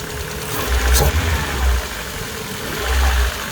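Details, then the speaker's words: MG ZR 120 engine running: smooth, even low rumble with a couple of gentle throttle blips, no knocks or ticks, slightly fruity tailpipe; normal, healthy idle. "there's the engine on slightly fruity tailpipe sounds very smooth otherwise yeah listen to that very nice very nice sounding engine"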